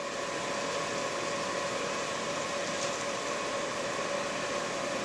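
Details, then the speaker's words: Used Breckwell pellet stove convection fan removed from a P24I, in a pre-shipment test switched to high speed with a flag still inside: a steady, even whoosh with a constant mid-pitched hum and no rubbing, ticking or wobble, running normally. "so in just open space right now you can hear that it's relatively quiet i can switch it to higher speed there's the higher speed mode"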